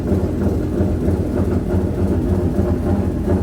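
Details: 2JZ 180SX jump-started with a flat battery at the dyno; rough, uneven idle with a pulse dropping out, down a cylinder.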